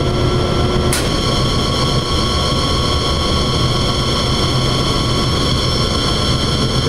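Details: Banbury 3D internal mixer at startup: steady, even motor drone with constant high hum, no knocks or grinding; mixer motor running normally.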